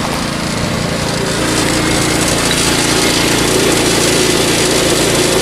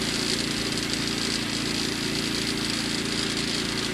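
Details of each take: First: Predator 2000 generator powering an RV off grid: steady even drone with a faint fast metallic chatter from the loose security chain and lock rattling against the case. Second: Predator 2000 generator powering an RV gaming setup off grid: steady even low drone with smooth hum, no surging or knocking; running cleanly under load.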